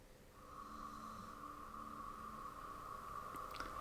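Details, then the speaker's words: Polestar 2 in drive while stationary, running its Acoustic Vehicle Alerting System (pedestrian warning). A soft, steady mid-pitched hum with a faint lower drone and even tone, very low in volume. Owner unsure it matches the expected sound or is working. "and this is a noise from my actual car i don't think it sounds the same so i don't know if this means it is working or it isn't working"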